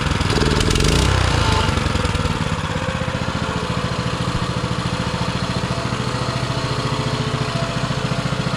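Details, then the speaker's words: Baja Motorsports Baja Warrior mini bike, single-cylinder, off choke in very cold weather: a quick rev drops into a steady, even idle with no misses; exhaust sounds like a lawn mower, throttle felt a little odd; runs normally. "that's already off choke and it's just sitting there idling as pretty as it can be"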